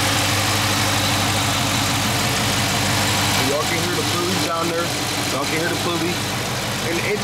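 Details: Dodge Charger 392 HEMI V8 (Scat Pack) idling just after startup: even, steady idle with a faint light tick, nothing loud or knocking; normal healthy engine, no crazy ticks.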